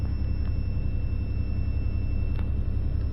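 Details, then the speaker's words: 90 Series Toyota Prado after fitting a DIY 155 L long-range main tank (214 L total), idling after switching between tanks without dying: low, steady rumble with an even beat, no misses or knocks; normal idle. "oh my God it runs it currently runs I can't tell y'all how happy I am of that"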